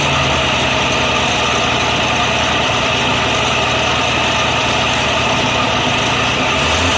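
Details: 1948 BMW 321 on its first start after 20 years, cylinders given WD oil a week earlier, carburettor not original, 12V electrics: steady, even idle with a constant dense roar and no knocks or misses; normal idle.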